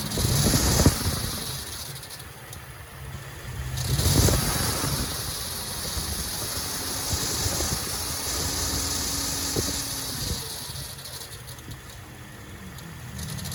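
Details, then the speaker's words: Toyota Vigo/Fortuner 2TR engine: metallic rattle at the front of the engine swells when accelerating and on releasing the throttle, fading at idle; hydraulic belt tensioner worn with age, due for replacement. "it's starting to make noise. When we accelerate up and then we release the accelerator. It will make noise, like metal."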